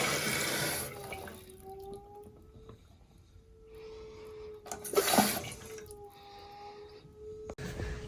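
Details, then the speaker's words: Steady droning hum in house plumbing under rushing water, seeming to come from the toilet/bathroom, going away briefly when a faucet is cracked open. "as soon as we walk in here you're going to hear a noise and by all means it sounds like it's coming from a toilet"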